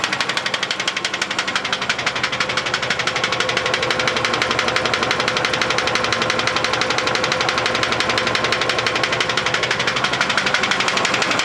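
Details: GAZ Volga engine running: sharp, very even knocking, about three per second, clearly over the engine; internal engine knock, source needing teardown to pinpoint.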